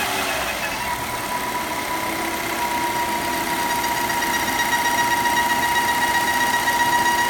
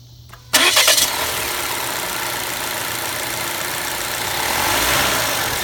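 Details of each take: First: Volvo XC60 T5 2.0L, hot idle; steady high whistle over a smooth, even idle from the valve-cover PCV oil trap whose diaphragm has deteriorated, noise stops when oil cap is removed; fix is replacing the oil trap: PCV oil trap diaphragm whistle. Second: Volvo XC60 T5 2.0L after replacing the valve cover with its integrated PCV oil trap, blamed for a resonant noise: engine cranks briefly, catches in about half a second and settles to a steady, even idle with no hiss or whistle.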